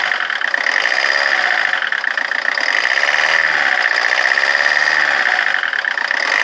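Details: Rover 25 diesel at idle: an uneven, pulsing beat with a thin whine on top; it idles rough and the cause is not yet pinned down.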